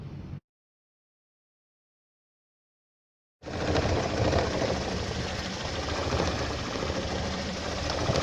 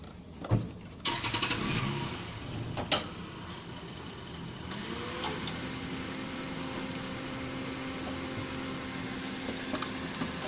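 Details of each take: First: 2015 Toyota Corolla with codes P0351, P0353, P0354 (ignition coil primary/secondary circuits), bad coil found: after a short pause the engine idles with an uneven, stumbling beat near four per second, a misfire from failed ignition coil circuits. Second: 2015 Toyota Corolla with codes P0351, P0353, P0354 (ignition coil primary/secondary circuits): short cranking clatter, then engine catches and settles into a steady, even idle with no stumble or miss.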